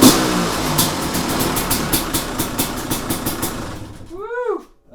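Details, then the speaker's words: 2005 Kawasaki KX250 two-stroke, first fire-up after rebuild for low compression (piston shot, plating questionable, crank play), first kick in garage: runs about four seconds with regular rev surges climbing and dropping cleanly, then shut off; sounds healthy. "I'm going to open the garage door because I am going to suffocate in here with these fumes. But man, it sounds and smells really good."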